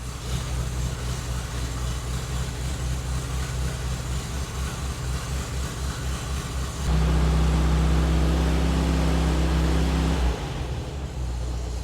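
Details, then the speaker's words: 1973 VW Thing air-cooled engine warming up, still slightly choppy at idle and choke timing needing adjustment, oil change due: steady, even low idle at about four beats a second, rising to a firmer, louder note midway; hot and sounding good. "hot sounds good yeah I got to play with this choke timing some"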